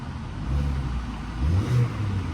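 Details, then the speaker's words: Auction-yard car, probably sat a while, starts and takes a quick rev blip, climbing smoothly and settling back with no stumble or rattle; engine sounds great, starts cleanly. "engine sounds great yeah yeah there there it goes there goes little rev and it's starting now"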